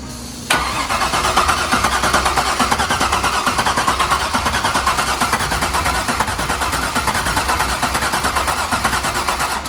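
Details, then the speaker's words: C5 Corvette Z06, 50th anniversary edition, about 50,000 miles, first start after years in a storage locker: lumpy idle with a recurring stumble about once a second, a dead cylinder. Coils are getting power; cause unconfirmed. "It sounds like there's one injector firing. Or one cylinder down."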